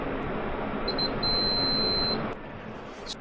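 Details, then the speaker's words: Polaris wiring check, multimeter on wires between stator and regulator plugs (plugs burned up): clear high continuity tone for about a second over hiss; wires still good, circuit intact. "Even though the plugs are burned up, it looks like the wires are still good."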